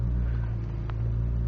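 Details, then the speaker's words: 2001 BMW M3 with over 200,000 km, cold start after a week sitting: steady fast idle just above 1,000 rpm because it is cold, smooth even hum with no knocks or misses; normal. "So I'm not sure if you can hear right now, but it's revving consistently at just above 1 because it's cold."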